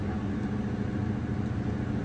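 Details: Caterpillar 323 excavator diesel, after a low oil pressure warning, showing 74 psi at idle and 85 when revved: steady, deep, smooth drone with no knocks or misses; normal running, and the fault was only a sensor.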